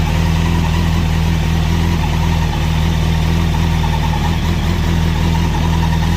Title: 2005 Zx6r strange noise at start up!!